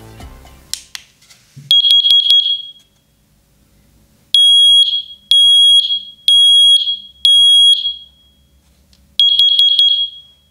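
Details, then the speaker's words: Smoke and carbon monoxide alarm test button pressed with the alarm held close to the microphone. Loud, shrill beeps in bursts of three or four repeat after short pauses, confirming the test signal works. "при нажатии на которую прибор уведомит а работоспособность и громким сигналом и светодиодной подсветкой звук оповещения достаточно громкий сейчас я протестирую прибор вблизи микрофона"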